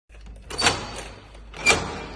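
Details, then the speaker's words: Heavy armored entry door gives two harsh hissing squeaks from friction as it swings; door has a poor lock cylinder. "Qué mal suena esta puerta. ¿Lo habéis escuchado?"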